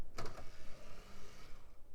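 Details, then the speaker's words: CD-ROM drive in a 1990s 486 desktop: a short clack, then a slow, drawn-out motorised whirr as the tray creeps open; the drive is dusty inside. "that was one slow deliberate mechanical opening just a little bit Dusty in there"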